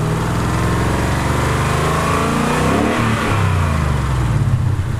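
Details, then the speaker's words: 2018 Ford Mustang GT 5.0 V8 after the typewriter rattle fix: smooth revving and settling with no clear ticking or rattle; the noise is much improved and expected to quieten further. "So you can see, guys, okay, it improved a lot. Okay, it improved a lot, and I think the longer it stays with it, okay, the quieter it gets."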